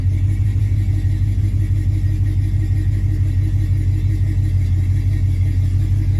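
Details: 1986 Chevy C10 Stepside V8, owner suspects a flat tappet Comp 268 or 272 cam: deep, steady rumble with an even lopey pulse and no knocks or ticks; runs smooth and healthy.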